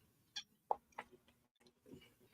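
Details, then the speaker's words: Irregular sharp clicking and ticking from the dashboard in a quiet cabin with no engine noise, stopping after a while; suspected failing blend door or mode door actuator over-limiting. The system has a single temperature control, not separate driver and passenger controls. "Sounds like you got a blend door going bad. That's what I'm thinking."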